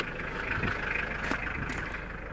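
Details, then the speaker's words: 2000 Mitsubishi Pajero 2.5 litre diesel, previously crank no start, now running off a temporary fuel supply (blocked tank or pipe suspected): steady, even diesel clatter at idle with no misses or hunting and no smoke; normal idle. "no smoke coming out the back and we are running off this"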